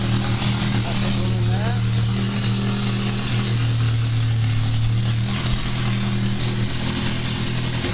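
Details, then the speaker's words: Triumph Spitfire 1500 with overdrive, a rolling and running chassis hot-wired at the coil and started on the starter: steady, even low rumble with a smooth firing beat and no knocks or misses. Normal running. "If I put that onto that coil and I touch that starter on, there we go."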